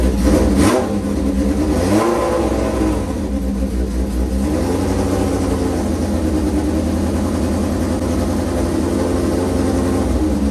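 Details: V-twin motorcycle started with choke on, fuel on after a squirt of gas: catches after a couple of blips, then settles into a steady, loping V-twin idle with no knocking or misfire; sounds healthy.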